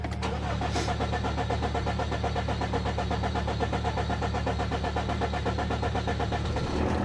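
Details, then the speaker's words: 2014 Chevy Cruze 2.0 L diesel with new fuel rail and regulator, air likely in the fuel system, original no-start traced to an intake restriction from a failed turbo: steady cranking for about seven seconds before it catches; extended cranking before start. "let's go ahead and start it it does take a second so it's going to cranky it over"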